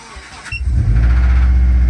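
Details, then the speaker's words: 2005 Subaru Forester XT, high-mileage stock EJ255, cold start: cranks and catches, then a low uneven rumble with faint knock in the first seconds, returning at higher rpm; likely bottom-end knock, owner plans engine replacement. "now you will hear it the first couple seconds upon startup and then it'll go away and then you'll hear it again when I increase the RPMs"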